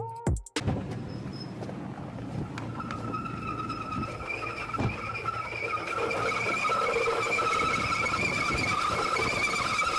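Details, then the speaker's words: A sharp, steady high-pitched squeal rises over the running engine and grows louder after a few seconds, typical of a slipping alternator belt. "противный визг и свист может издавать ремень генератора звук от такого свиста неприятен и услышать его можно на большом расстоянии"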